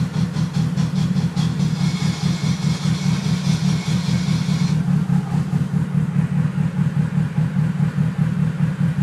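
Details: Engine idling after a QM twin clutch install: a harsh hissing rattle appears for a few seconds only while the clutch pedal is pressed, then drops out; owner asks whether it's normal.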